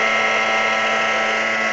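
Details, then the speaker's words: NordicTrack treadmill at 8 mph with the drive belt disconnected: an extremely loud, steady, high multi-tone whine from the drive motor itself. This confirms the motor is faulty, and it is to be replaced. "and as you can hear it's Extremely Loud"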